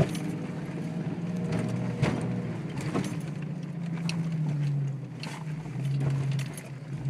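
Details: Jeep XJ driving in four-wheel drive: a low drivetrain drone with sharp, irregular loud clunks; the owner says the front end is tight and all U-joints are good, and the cause is unknown.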